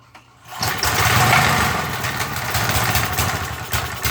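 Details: MTD edger with 3.5 hp Briggs engine that had been sitting and wouldn't run, after cleaning and throttle cable adjustment: quiet, then one pull with choke on and throttle at fast, and the engine catches at once, settling into a steady fast rattly run.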